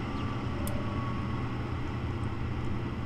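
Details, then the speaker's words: Gas furnace on a thermostat heat call: draft inducer motor starts first with a smooth, steady hum and faint whir, running normally. The hot-surface igniter then fails to glow. "so the very first thing that should come on is the inducer motor if there's a call for heat and there it goes my thermostat's calling for heat so that turns"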